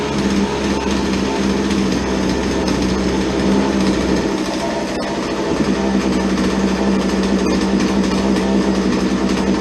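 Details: Chainsaw that would not idle, after old fuel was dumped and the air filter was modified and refitted: small two-stroke holds a steady, crisp buzz with an even firing note and no misses, so it is running normally after repair.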